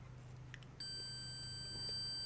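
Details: Multimeter continuity beep at 99 ohms from decade box (beep mode reading only 61): steady high continuous beep holding; still beeping up to about 150 ohms, so beep doesn't prove a fuse good.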